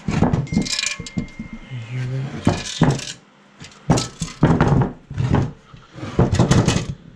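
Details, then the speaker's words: Used Subaru WRX engine with the oil pan removed: loose metal rattles and rings in short bursts as the engine is turned over, and piston parts are found inside. Broken piston debris; the engine is junk. "But when we were pulling the pan, we noticed some ring-a-ding-dinging in there."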